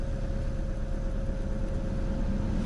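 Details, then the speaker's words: Ford Focus 2 after alternator belt replacement, driven outside with high beams, rear and windscreen heaters, A/C on max, hazards and wipers on: smooth steady idle, faint hum, no belt squeal that previously occurred under load; normal idle. "Работает, ремень не свистит."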